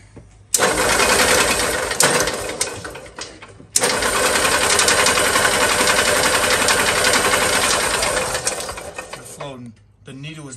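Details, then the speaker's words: 1970s EZGO golf cart after internal starter-generator brush repair, choked: the engine stumbles and cuts out in uneven bursts. A new carburetor needle is not seated, flooding the engine, with fuel pouring from the drain; fix is reseating the needle. "in this car we flood now all right i gotta remove the carbon sit and seat the needle"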